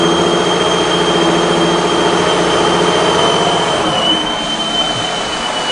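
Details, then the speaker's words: 2002 Ford Escape petrol engine revved: steady high whistle and labored note from restricted exhaust flow, oxygen sensors flatlined showing no catalytic converter activity, suggesting clogged catalytic converter. "you hear that whistling and maybe you can hear the labored engine so very clearly we've got a restricted flow across these oxygen sensors"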